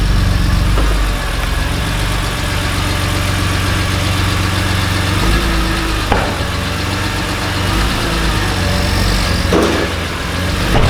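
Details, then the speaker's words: BMW E46 M3 S54B32 with strange knocking at idle and a camshaft-crankshaft synchronization fault code: uneven, irregular knocking taps under a rough idle; attributed to worn rod bearings and a broken timing chain guide. "so the story behind the car is that the engine has developed some strange knocking sound on idol I'm not sure it's only on idol"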